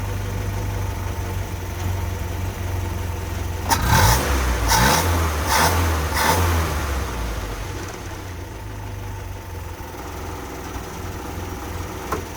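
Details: Land Rover Series 2a, first start after engine rebuild: smooth, even low idle with a short burst of quick throttle blips, then settles steadily; temperature coming up, fuel gauge working, no leaks seen, running healthy.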